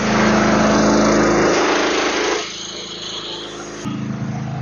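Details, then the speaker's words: PhilKing 4200 petrol generator (3,800 W running, 4,200 W max, about 400 hours) loaded with 2.5 hp inverter aircon, TV, fridge and fan: drone dips briefly then picks back up to a firm, even beat; RPM rises somewhat, holding speed. "Medyo tumaas na yung RPM."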